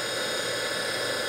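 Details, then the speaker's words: DC motor from DIY electric vehicle conversion, removed and bench-run on a 12 V battery at about 3,000 rpm, unloaded: steady, even high-pitched whir with rush of internal fan air, no knocks; runs smoothly. "spins up nice nice and smooth take the load off it's back up to 12.4 so good battery so that's what she sounds like it's probably 3,000 RPMs for getting close to it sounds real good"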